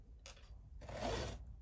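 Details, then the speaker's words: Chainsaw raker filed straight across (perpendicular) at the wrong angle: two rasping file strokes with a faint squeak, squeaking on either side of the raker. "Straight across. It doesn't matter which side of the Raker you're on, it squeaks."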